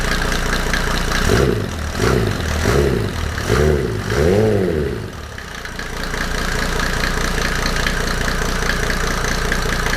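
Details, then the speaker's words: Mercedes W124 OM606 diesel turbo project first start on new battery, no intake manifold, after high-idle scare from held throttle; owner worried timing off. Quick revs then steady, even idle, no knocking or nailing; normal diesel idle. "but everything seems to be fine now and yeah it uh revved um i was worried about the timing that it was off but um so far i didn't hear any nailing"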